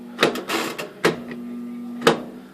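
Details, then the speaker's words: Kenmore 300 Series washer, about 8 years old, heavy use, full of water and leaking: steady low hum with clicks and knocks when switched on, drain pump blocked and not draining. "but when I go to turn it on, I don't know how well that shows up, but there's a humming humming"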